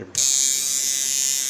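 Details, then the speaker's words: Cheap kit coil tattoo machine set up as a liner after tightening the front coil, running unloaded: clean, steady high-pitched buzz with no stutter or rattle. "so like I said for 25 we now have a cutback lining machine and let's see what to cut back lining machine runs unloaded"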